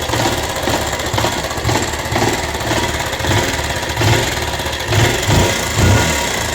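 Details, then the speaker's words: Rouser 180 motorcycle after long storage, started after cleaning a very dirty carburetor and finding lots of water in the tank: harsh, clattery single running rough with uneven thumps and metallic chatter over the exhaust; abnormal mechanical noise, cause not found. "Ito Paps, pakinggan mo yung ingay ng makina mo."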